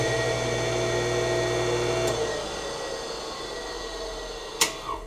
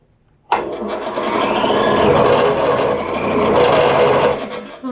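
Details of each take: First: Roughly 40-year-old Campbell Hausfeld 20-gallon air compressor motor run with no load, contactor closed by hand: smooth steady hum with light whine, then clean coast-down without scraping or knocking; bearings good, motor works unloaded. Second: Campbell Hausfeld 20-gallon compressor, about 40 years old: motor kicks on with a strained, wavering hum and rising whine that never settles; left running it eventually trips the breaker. Oil fine, turns over by hand, cord good; cause not yet found.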